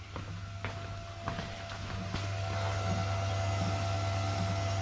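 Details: Dodge SRT4 with a new Run It Performance aftermarket fuel pump on a dual-pump relay rewire kit, relay jumped to run it off the battery: a steady low hum with a faint even whir and light clicks. Reads about 40 with fuel flowing through, and no leaks.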